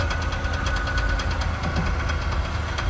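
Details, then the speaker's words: Jeep J10 pickup with no bed, driving: light regular tick over engine drone that keeps pace with road speed; suspected zip tie slapping the driveshaft, not confirmed. "okay so it did you put a zip Tire on the drive shaft maybe that's probably what it is let me go look that's probably what it is somebody put a zip TI on a drive shaft yep that is my guess"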